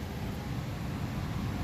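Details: 2015 Nissan Rogue after blower motor replacement (original blower dead, 15A fuse good), ignition on: steady even low whoosh of air with no ticking, scraping or wobble; new cabin blower runs smooth and healthy.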